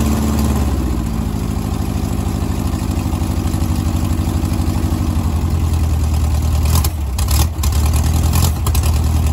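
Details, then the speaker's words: 1970s Gazelle kit car (1929 Mercedes SSK replica) on VW Beetle chassis, air-cooled flat-four, barn find sat for years, gravity-fed fuel: deep steady chugging idle with slight lope, no stumbling; running fine. "check the oil cranked it over and uh got it to run yeah fantastic"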